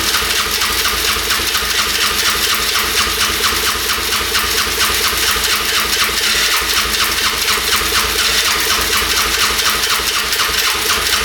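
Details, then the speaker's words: 1997 Polaris Magnum 425 6x6 ATV single after carb cleaning: rough fast uneven running with sharp pops backfiring through the carb; owner suspects worn cam lobe. "oh it's running backf firing through the carb you can see that's not good so more than likely the cam lobe is worn out"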